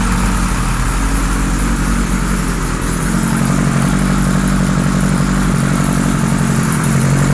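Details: 1978 Kawasaki Z1-R four-cylinder on the stand, first start after carbs installed, idle raised, no enricher: slightly lumpy idle with an uneven, wandering beat; carbs 1 and 4 good, middle carbs 2 and 3 out of sync.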